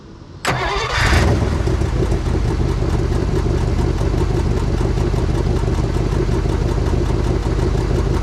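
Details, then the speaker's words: 1955 DeSoto Firedome Hemi V8 after decades stored, now on all eight cylinders after reseating plug three, cleaned air cleaner and fresh oil; catches quickly and settles into steady even idle with no misfire. Passenger exhaust manifold broken in half. "pedal we are on all eight cleaned up the air cleaner put some fresh oil in that uh but it is running pretty damn good now"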